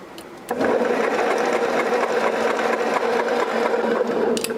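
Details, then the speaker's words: 1959 BMW Isetta that sat in the woods over 40 years: a steady starter whir cranks the engine for about four seconds but it never fires. There is no spark at the plug, and coil power is being checked. "No spark when you tried? Okay. Nah, we ain't getting no. No spark."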